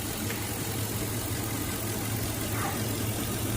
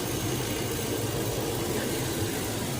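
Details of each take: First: Engine at idle just after the mass airflow sensor at the air box is unplugged: steady low hum turns slightly uneven and shaky, motor shook a little; scanner MAF reading drops to 1.58, rough idle without the sensor. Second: Engine idling as the mass airflow sensor at the air box is plugged back in with the motor running: steady, even low rumble with no stumbles or surging; sounds happier, normal idle.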